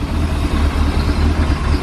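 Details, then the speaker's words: Chevrolet C10 V8, first start after sitting 10 years, cylinders soaked with ATF beforehand, fed from a five-gallon can: deep, even burble with steady low rumble, no misses or knocks; idles cleanly right off the bat. "let's not exhaust note duel it's often runs good at right off the bat like this"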